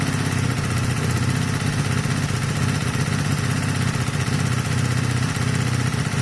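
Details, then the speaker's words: Honda CB250 Nighthawk cafe racer after engine rebuild with new piston, cylinder and valve stem oil seals, run a few minutes: even putter at idle, about three beats a second, smooth, no tapping; no longer smoking, problem believed solved. "Unless I've got it really wrong, and I don't think I have, guys, I think that problem's solved."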